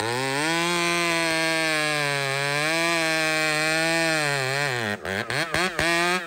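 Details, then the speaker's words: Chainsaw (a 395) with 3/8 chain cutting a cedar log holds a high steady bog under load, pitch sagging as it's forced, cutting slowly; chain rakers set too high. "oh yeah you're you're way up there brother okay this is your problem guaranteed on anything this thing"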